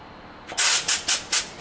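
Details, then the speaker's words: Pivotal Edge 104411 vacuum valve with line opened at the control box: sharp hissing puffs about four times a second, repeating steadily; valve keeps cycling trying to hold vacuum on the seal, pointing to a leaking seal, fitting or air line. "notice as soon as I pulled my thumb off it started cycling cuz it's constantly trying to keep a vacuum on that seal to keep it protected"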